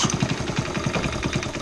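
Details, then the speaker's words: 1972 Honda CT70H, sitting 15+ years, cold first start of the day: fast choppy single-cylinder idle with sharp puffing tick each firing stroke; compression escaping at head/cylinder joint due to missing bolts holding head and cylinder. "Then I find out, there's no bolts here, no bolts here. Yeah, there's pressure coming out of here."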